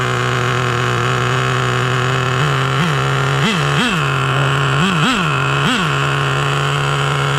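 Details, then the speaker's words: Nearly new Traxxas T-Maxx 2.5 nitro engine after repairing a seized one-way bearing, now running with a new CVEC tuned pipe; steady high buzzing idle with clean throttle blips, sounds the same as with the stock pipe. Normal running. "it sounds the same i can't tell a difference"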